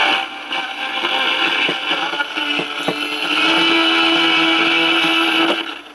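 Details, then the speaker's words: 1946 Val-Keen/Detrola 572 six-tube radio, chassis out, just come to life on the AM band picking up 970: plays harsh and buzzy with gritty distortion. The filter capacitor is not hot and there is no hum. "sounds like it works it's just a little bit distorted [Applause] i was picking up 970. sounds pretty distorted though"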